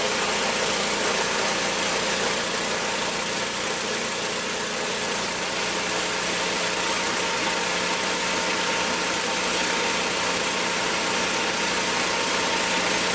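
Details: Magna air compressor, circa-1983 Briggs and Stratton petrol engine, sat 5 years, first start on carburetor alone, choked: steady even run, no knocks or misses; runs awesome, pumps to 100 psi, owner may raise cutoff near 120.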